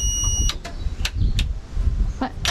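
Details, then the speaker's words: Large military truck not run in four years, starting up: repeated short beeps over a low diesel rumble. This is the low-air-pressure brake alarm, sounding while brakes stay locked until the air system builds pressure. "Le bip est l'alarme du système de freinage pneumatique. Et finalement, l'air atteindra la pression et s'arrêtera."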